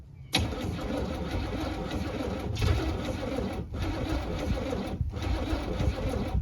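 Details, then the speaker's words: 1978 Camaro V8 cold start at 16°F with no choke on a damaged Demon 625 carburetor: starter grinds in long bursts with pauses, fires a couple times even with ether but never catches; cold no-start. "well guys unfortunately that's all she's got I was really hoping that y'all be able to hear it on this cold day and I was hoping I'd be able to as well but engine don't run on hopes and dreams"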